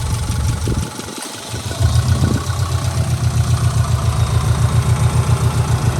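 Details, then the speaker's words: 2004 Subaru Impreza 2.5RS with an SRS stainless exhaust and new timing belt, recorded under the hood. The engine picks up and settles into a steady, even low idle pulse, no knocks or misses. Normal idle. "I mean, it runs. It just runs great. It runs great. It drives fantastic."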